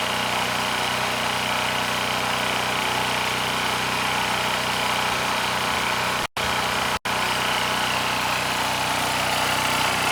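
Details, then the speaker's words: Powermate SX Power Series 3250 W generator (PM0123250), airbox off, carb cleaned and refilled: steady buzzing run with slightly uneven beat that only keeps running near full choke; choke can't go below about 90%, suspected air leak at insulator, unconfirmed. "And there's absolutely no difference. So even though the carb is spotless both inside and out, you know, I can't turn that choke off more than about 10%."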